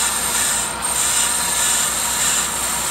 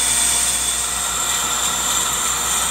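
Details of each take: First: Older Accu-Turn 8922 brake lathe machining a rotor: a steady high metallic squeal of the cutting bit over the lathe hum. The cut bites harder once past the pad-worn area onto the unworn outer lip. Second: Older Accu-Turn 8922 brake lathe machining a brake rotor, finishing the last revolutions on the inside edge: steady, even high-pitched hiss as the bit feeds across and cuts cleanly; normal brake rotor cut.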